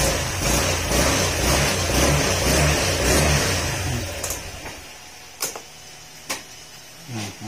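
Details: Honda Click 125 V3 scooter that misfires and won't start after hitting potholes (fuel pump suspected): engine runs smoothly with an even, steady pulse, then cuts out leaving a few clicks.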